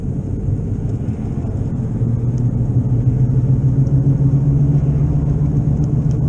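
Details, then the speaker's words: Car on the road with a bad left wheel bearing, louder in right turns and rising with speed to about 55 mph: steady low droning hum under road rumble; wheel bearing noise, not yet fixed. "it's a little bit louder when I turn right because it puts the pressure on the left wheel so I mean it's my left wheel bearing that's bad"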